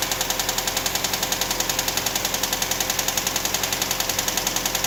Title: 99 rav4 fast ticking noise?